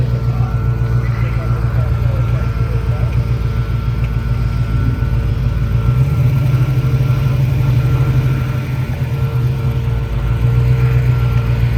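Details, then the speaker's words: Drag car on final Redwood Rally pass: hard-pulling, rough, uneven low roar that stumbles and pops under load as fuel sloshes away from the fuel pump, starving the engine; still ran 14.45. "And here we go again with the fuel slloshing away from the fuel pump. You can hear this thing popping."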